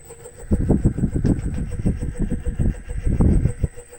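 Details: Reeder 2x72 belt grinder, 2 hp Hallmark AC motor on KBAC-27D VFD, belt off, 40% speed: steady hum with an uneven, throbbing low rumble; owner suspects the motor, its cooling fan or the VFD, unconfirmed.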